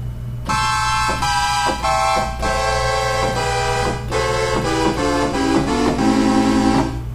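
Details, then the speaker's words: Oberheim OB-8 analog synthesizer, voices five to eight in a higher octave: sustained chords sound sour and wavering, with some notes clearly off pitch. The detuning comes from the problem voice board, later fixed by replacing capacitors, likely in the sample-and-hold tuning circuit. "we will shift the uh octave up by turning that off now when we play a chord not so good"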